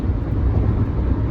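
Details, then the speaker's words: Honda Element at 140,000 miles, cruising at 70 mph after a new catalytic converter and Denso O2 sensor were fitted: a steady low road rumble with no exhaust drone, rattle or leak; normal highway cruise. "i'm really going to call this the maiden voyage because we got the catalytic converter on"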